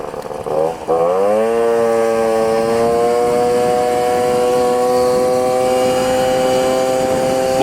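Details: Small moped two-stroke after resealing an air leak between intake pipe and reed valve (unstable idle, poor full-throttle running before): picks up cleanly and settles into a steady, even buzz with no hunting or stumbling; running properly.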